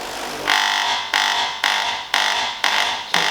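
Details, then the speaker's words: DeLonghi Coffee Break bean-to-cup coffee machine on startup after sitting empty: harsh buzzing pulses about twice a second, each fading, as the water pump labours to prime; suspected long time without water in circuit, not confirmed. "does sound like the pump's struggling but I don't know how long it's been set with no water in so sometimes when they're completely empty it does take a while to Prime"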